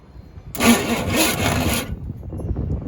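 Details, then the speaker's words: Old Chevy K5/K10 350 V8, neglected for years, on a shimmed starter. About a second and a half of rough, uneven cranking that never catches; the engine is struggling to fire. "Struggling to fire though, for sure. Doesn't sound very good actually. But it is what it is. It's just an old 350."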